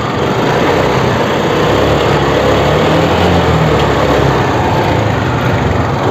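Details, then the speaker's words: TVS Scooty Pep+ after a no-spark-at-plug fix (rewired relay negative and CDI plug wire): a continuous, even small-engine hum holds steady for several seconds without stumbling or surging, so the scooter is idling normally after a good start. "சாவி on பண்ணிட்டு start பண்ணால் பக்காவாக start ஆகுது வண்டி."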